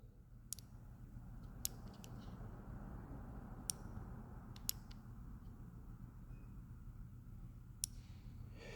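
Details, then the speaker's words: Nova sliding thumb control (amptrol) on an Everlast MTS 275P welder: sharp single clicks in a quiet room at the slightest nudge; the start switch beside the amperage potentiometer trips far too easily and can fire the torch. "the slightest little movement, you know, you're rolling you imagine that with your you got a glove on, right? Slightest little movement, and it's on."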